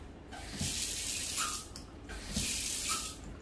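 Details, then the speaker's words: Household plumbing after the water hammer was fixed: taps were turned off before the mains were restored, and water now rushes and hisses in even bursts with no bang or pipe shudder as flow cuts off. "okay so the water hammer has been fixed"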